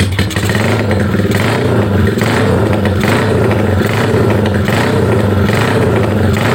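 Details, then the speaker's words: Bored-up Honda Megapro single-cylinder touring build, cam duration about 270 and lift 8.8, revs swell and sag about once a second with an uneven clattery edge; engine mechanically smooth but carburetor setting badly off. "Ya, seperti ini kurang lebih motornya, suaranya. Mesinnya halus, cuma sekep karbunya ini kocak banget."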